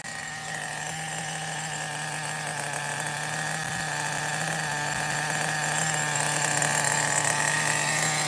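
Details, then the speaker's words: Megatech nitro Razor RC car under restoration, engine missing many cooling fins, idle set as low as it goes: a high, buzzy, wavering idle that creeps up and never settles. Rough, unstable idle, cause not confirmed. "It's a runner, though. So far, it's all right."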